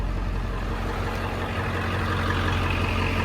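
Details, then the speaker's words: 7.3 Powerstroke OBS diesel just started after the glow plug light goes out: steady, even diesel clatter at idle with no misses, knocks or vibration. Healthy normal idle. "All right. Runs good. Sounds healthy. Sounds super healthy. No vibe."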